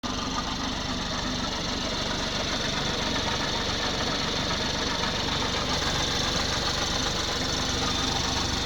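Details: 2019 BMW X4 30i G02 idling stationary after coolant loss, topped up with G12+ and distilled water: steady, busy idle with fine ticking chatter, no clear heavy knock; owner unsure whether it's normal.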